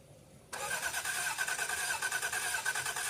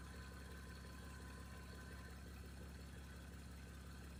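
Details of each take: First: 1989 Toyota Cressida that sat for years, on a freshly charged battery: starter spins the engine steadily at about three turns a second with no firing; gauge near empty, owner suspects no fuel. Crank, no start. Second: 1989 Toyota Cressida that sat for years, just revived: low steady even idle, no knocks, misses or whine throughout; brief smoke at startup already cleared. Normal idle.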